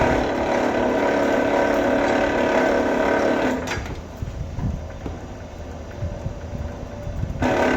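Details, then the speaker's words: Vevor wire stripper, motor whine with fast rattling chatter then a quieter gap: stripper blade set a little too tight; fix by moving to the next hole or adjusting spring tension. "when you hear that chatter you know you're you're a little tight so you need to move it over to the next hole or adjust your uh adjust your spring tension up and down adj that up a little"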